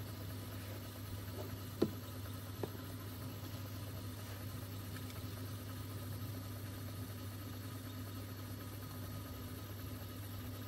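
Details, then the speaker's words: Mastertronic water analyzer during a reference fluid test, empty motor draining 10 ml reference fluid from the reaction chamber until air bubbles appear: steady, even low hum with no knocks or surges; drain pump running normally. "now you can hear the empty motor starts you can see that the reference fluids will be drained here and soon you will see air bubbles that it's completely drained"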